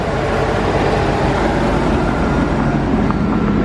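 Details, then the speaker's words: Corvette V8 after the exhaust was refabricated, with a swapped engine and an oil-soaked exhaust burning off: steady, even, smooth low-rumble idle with no knocking or ticking. A suspected knock proved absent. Normal idle. "All right, so Will and Lopez actually fabbed up and got the exhaust all fixed on it. It's actually running. Thing is a sewing machine."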